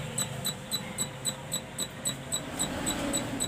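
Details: Onida CRT TV that won't switch on, power indicator dark: even, fast tik-tik ticking about three or four per second from inside the set; cause is a shorted horizontal output transistor.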